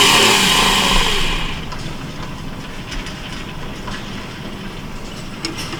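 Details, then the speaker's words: 1968 Ford LTD, long abandoned, with Motorcraft carburetor: fires loudly only while starter turns, fades to weak faltering murmur when released; owner suspects coil wired wrong, may run 12 volts straight to coil. "strange it's only running it's only running when the uh when it's turning over it's only firing so something he's got wired going to the coil something he's got wired wrong"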